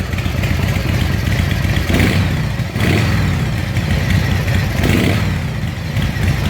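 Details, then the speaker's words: S&S Super E carburetor on a V-twin, cold start without choke a couple days after carb rebuild: loud lumpy idle with clean throttle blips rising and settling quickly; previously wouldn't run off choke, now normal idle and revving. "chilly in here yeah you need to get those baffles taken out sounds like yeah it worked"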